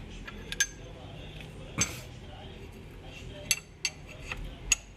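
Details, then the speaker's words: Ford Ka 3-cylinder engine turned slowly by hand: sharp, uneven metallic clinks about once a second. Valve fault was first suspected; the mechanic now believes the engine overheated and the piston seized, with its pin and skirt knocking against the block. "é esse barulho que faz quando o carro está em funcionamento provavelmente esse pistão travou né"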